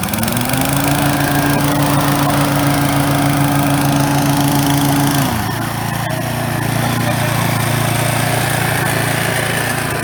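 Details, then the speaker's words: Brand-new Toro TimeMaster 21200 electric-start mower, first start: steady even hum, note drops and settles as blades engage for first time; smooth, healthy, normal running with blades engaged. "just want to hear how it sounds when it idles and then I'm going to let you hear how it sounds when you engage the blades initially it's gonna be a delay because it's the first time I've engaged the Blitz"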